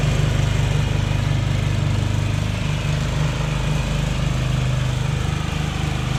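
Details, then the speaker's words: Jacobsen Chief 1000 garden tractor with Kohler K241 single-cylinder, after fuel system work (drained gas, new fuel line), electric PTO engaged: steady even low thumping, no misses or surging, pulling the mower deck cleanly; runs healthy under load. "all right so as you can see it runs and operates pretty good"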